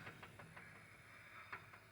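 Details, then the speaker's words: Single rear wheel 350 diesel truck, rear wheels spun by hand while chasing a vibration: light, fairly regular clicking chatter from the differential over faint hiss; owner unsure of cause, questions pinion preload. "and I don't ever remember hearing that clicking chattery sound granted this is my first diesel"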